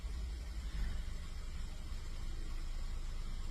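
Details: 2015 VW Golf 1.4 TSI, in for running issues and misfire on all cylinders, started in freezing weather after codes were cleared: quiet, low, even idle with no stumble or shake. Misfire data is checked next.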